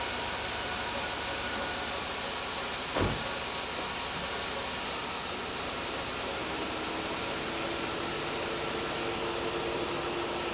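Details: Freshly replaced radiator electric cooling fan motors, switched on by running the AC, apparently on low speed: steady even rush of air over faint engine hum, no rattle, scrape or wobble; normal operation after repair.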